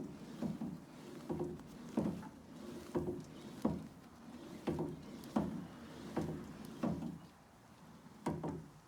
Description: Video of knocking Sounds on my New True M50 Elliptical